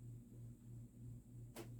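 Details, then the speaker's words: Vintage, probably early-mid 1980s Union Ngok Kee 36" 'Super-36' spinner ceiling fan, model 4CLW-3SPC, running on low (owner finds low too fast): low steady hum with slight pulsing and an intermittent sharp click, new to this fan, cause unknown. "making funny noises again i don't know it's never made those noises before i've had this thing up here for days now"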